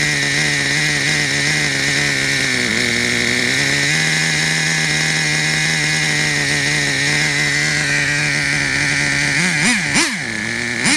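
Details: Traxxas Revo 3.3 nitro engine: high, steady buzzing idle at even pitch, then a couple of quick revs near the end; engine runs clean, though truck needs new transmission, spur gear, starter motor and one-way bearing.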